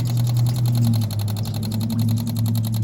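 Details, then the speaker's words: 1983 Honda Shadow VT750C fuel pump test: quick, even ticking at about ten clicks a second while old gas is pumped out of the tank into a container; the pump is working properly. "there we go fuel pumps working I can hear gas shooting in here"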